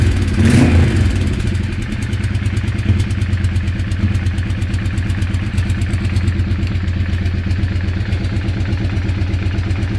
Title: Weird engine sound